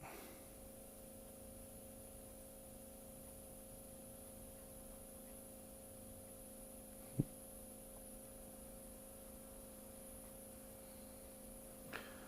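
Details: Electric fuel pump on a test bench with pressure being raised while current ramping is watched on a scope: quiet, steady electric hum with a thin high whine and no knocking, the pump speeding up under load, fuel pump whine.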